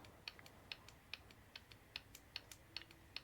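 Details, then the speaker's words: Vauxhall Corsa D 1.4 petrol, new Bosch 0 280 142 486 EVAP purge valve bench-tested in a quiet room: faint crisp ticks about two and a half per second; normal quiet purge valve clicking. "and I'll be honest with you I can barely hear it so if I can barely hear it I very much doubt the camera is going to hear it"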